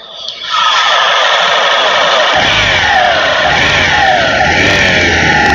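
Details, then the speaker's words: 2018 Honda Vision 110 scooter with ACG starter, only 4,368 km: the engine revs with a harsh, rushing whine that holds with speed; a worn crankshaft bearing, needing the engine opened and the crank bearings replaced. "Để khắc phục triệt để vấn đề này, không còn cách nào khác ngoài việc mở động cơ và thay thế bạc trục khuỷu cho chiếc xe này . Chiếc xe này chắc chắn có vấn đề về bạc đạn, không còn nghi ngờ gì nữa."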